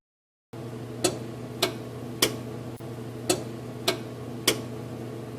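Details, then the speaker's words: Samsung electric oven while heating: sharp single clicks about every half second over steady fan hum; circuit relay switching heater on and off to hold temperature, normal operation. "When the oven heats, you may hear a clicking sound. This is the sound of the circuit relay operating."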